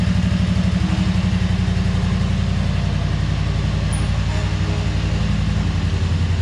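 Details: 2003 Wright Stander mower, 23 hp Kawasaki, with fuel pump rigged to the crankcase pulse output: lumpy, uneven beat and wandering idle; poor running because choke and throttle cables were on the same linkage, working against each other.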